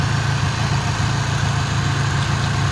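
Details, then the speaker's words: Ford Ranger petrol engine at idle: smooth, even low rumble with no misses, knocks or ticks; runs perfect. It leaks antifreeze from a bad radiator cap, the oil is clean, and it sometimes revs briefly at startup. Normal idle. "mean, sit here and listen to it idle. Runs perfect."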